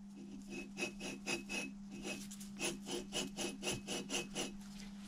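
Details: Old driver's-side front wheel bearing removed from a front-wheel-drive Ford Transit Mk7 that had rumbled while driving for weeks. Spun by hand, it gives gritty, rough grinding surges about twice a second. Worn wheel bearing.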